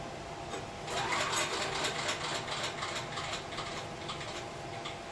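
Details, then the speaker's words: Power Boss 7350 (5500 running watts) auction generator being pulled over by hand during a spark check: fast, even ticking spin-over with no compression pulses, turning with no effort; zero compression, consistent with a broken connecting rod. "you know might not be a bright cookie or anything like that but that sure does sound and feel like zero compression"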